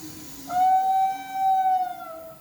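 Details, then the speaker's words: Fiat Argo engine: loud steady horn-like whistle near 700 Hz, also when accelerating, heard as the engine shuts off; cause is a small tear in the PCV valve cover diaphragm. "diafragma esse cara aqui ó tá mostrando PR vocês onde que ele rasga aqui ó ó o rasg ali nele ali só esse rasinho ele já faz o gritinho do Michael Jackson já"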